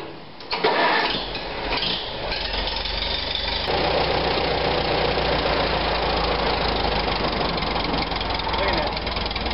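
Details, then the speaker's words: 1945 Farmall BN after Zenith carburetor cleaning of blocked passages, idle screw 3/4 turn, in neutral: cranks, catches and settles into a steady, even idle with no misses or knocks; idle now adjustable, normal idle. "never adjust the idle screw on this look at this I got it all the way in listen to it"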